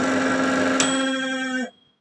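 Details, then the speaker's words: Samsung manual microwave, model M171N, reported as noisy: loud buzzing drone with steady mid-pitched tone while running, possible shorting sound, cutting out at switch-off. "อ่าการที่ได้รับแจ้งก็คือว่ามันมีเสียงดังนะครับเสียงดังยังไงเดี๋ยวมาดูกันอ่ะ"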